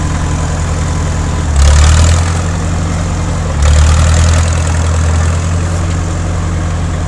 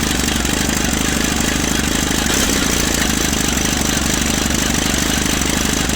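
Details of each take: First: 1950s Caterpillar D4 crawler bulldozer, sat at least 20 years, started via pony motor with a severed fuel line temporarily fixed: deep, even diesel rumble with two short swells as the throttle opens; steady firing, diesel running well. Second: 1950s Caterpillar D4 dozer that sat at least 20 years, pony motor starting the diesel; rough, uneven chugging at three to four beats a second as it barely catches; starter Bendix kicks out too early.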